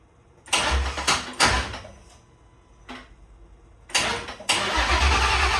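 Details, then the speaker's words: 1966 fastback with Coyote V8 swap, PCM flashed back to stock, first-start wiring troubleshooting, no fuel pressure reading: engine catches in short bursts that die within a second, then fires and runs; starts then stalls, cause unknown. "okay, it ran for a bit and it turned off. I don't know what happened, but I was very excited to see the normal buttons working again."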